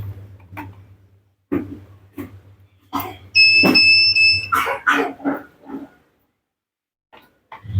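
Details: Polytron Zeromatic automatic washing machine won't power on and gives a steady high-pitched alarm beep for about a second; board tested outside the unit. Unstable 5 V supply from a failed power supply, a bad electrolytic capacitor or an open transformer winding.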